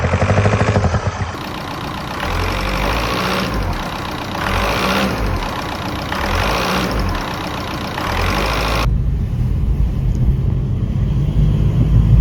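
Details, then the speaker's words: VW Golf diesel after camshaft, lifter and timing belt replacement, running without coolant: steady idle with an even low beat and no top-end tapping. The earlier awful knocking is gone. "Let's see if the awful knocking noise is gone. Yep, that's that knocking noise sorted."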